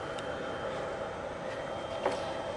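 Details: Reliable power backup inverter, a couple of years old, battery connected and status light green, heard from the rear: even airy cooling-fan whoosh with a faint steady high whine, no rattle or scraping; fan running normally.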